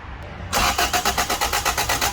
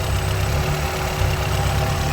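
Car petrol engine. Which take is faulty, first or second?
first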